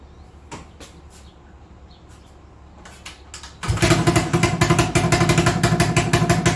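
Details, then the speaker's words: 1980 Honda XL250S single after carb idle screw was adjusted: starts and settles to quick, slightly uneven thumping idle sitting too high; owner suspects carb idle set too far; high idle. "with the idle the way it is i wonder if i've gone much too far and now it's idling too high"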